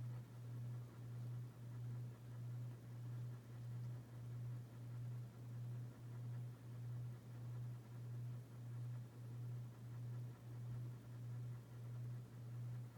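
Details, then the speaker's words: Dynasty Hugger 52-inch ceiling fan CF-HA52, January 1988: low steady motor hum swelling and fading about 95 times a minute with rotation; normal operation. "in a hums the most on the first a medium I feel it's kinda hard to tell like usually you can hear it humming more for making distance compared to like being closer to work"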